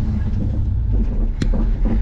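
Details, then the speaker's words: Lifted squarebody Chevy truck driving forward with the hubs locked, clutch replaced this summer: one sharp dull clunk over the low driving rumble from the transmission tunnel area. A worn transmission mount. "so we got some noise coming from the uh transmission tunnel area once we keep going in a forward direction here"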